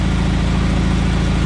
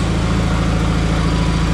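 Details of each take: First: John Deere 317 garden tractor after reassembly, running at full throttle: steady, even drone with no misses but low pitch; governed top speed seems only about 3000 rpm instead of 3450, so high-end rpm needs adjusting. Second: Rebuilt John Deere 317 tractor engine after reassembly: steady, even low rumble with a smooth firing beat and no knocks. It had two intermittent shut-off backfires, and top rpm seems about 3000 instead of 3450. Normal running.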